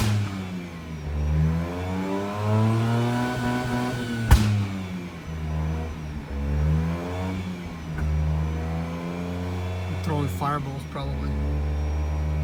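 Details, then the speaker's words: Mazda RX-8 rotary with prior starting issues, revs dropped toward 3k after shooting flames: revs sag and surge unevenly, nearly dying at low rpm, possible misfire; check engine light flashing, overheating, coolant spraying; owner suspects blown head gasket or worse. "i'm dropping rpms down guys it seems like it wants to quit and your lower wants to quit"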